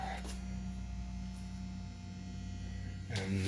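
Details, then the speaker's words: Microwave oven transformer (MOT) humming as tubes begin conducting again with gain brought back up; steady low electrical hum holding level. Transformer hum. "can start to hear the MOT humming here so I'm getting some conduction at this"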